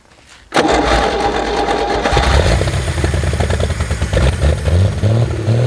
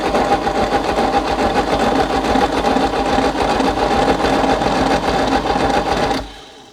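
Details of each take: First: 1964 Chevy Biscayne parked 30+ years, after restoring spark and brake-clean prime, first run with slight throttle: V8 settles into steady slightly raised idle with even beat; normal fast idle. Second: 1964 Chevy Biscayne parked 30+ years behind a barn, first crank test on ignition: steady rhythmic cranking about two beats a second that never fires; no spark, no continuity through points, engine also sounds unhealthy inside.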